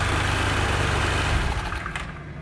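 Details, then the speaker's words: Honda Vario Techno 110 scooter that was hard to start, now running after the fuel tap was replaced: even, low, steady putter with no stumbles or knocks; normal idle, fault was the fuel tap. "Ini motornya udah hidup, ya, motornya udah hidup karena udah kita pergantian kerannya."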